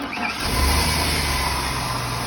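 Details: Truck with 5.3L engine and bad starter (clicks, won't start), started by jumping the starter solenoid to positive: brief crank catches almost at once into a steady, deep idle; engine starts and runs.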